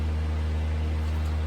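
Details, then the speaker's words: 1980s Super dehumidifier model SDH-17-3, new replacement fan motor fitted, startup current 0.7 A against 0.8 A spec: steady even low hum, no rubbing, ticking or wavering; motor runs smoothly, not overloaded, healthy. "so i'm gonna plug it in and hopefully we'll be able to see the result here all right so on screen here's startup 0.7 amps so that's great that's under spec by 0.1 amp"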